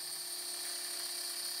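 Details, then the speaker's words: Shapeoko CNC router with a 1/8" end mill cutting acrylic: a shrill, steady whine with a rough, buzzy chatter because the workpiece bows up and is poorly clamped, not held down. "you can tell even there there's a little bowl over here but I'm not holding down with the tool and you can hear that chatter"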